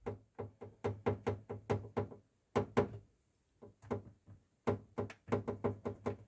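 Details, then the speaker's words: VW ID.4 with panoramic roof: sharp, hollow knocks in quick bursts whenever the drain tubes are touched, the right one worse. Loose roof drain tubes cause knocking in the trunk and rear wheel arch area over bumps. "Если кого-то беспокоит стук со стороны задних колёсных арок или в багажнике, смело можете разбирать и укреплять дренажи панорамной"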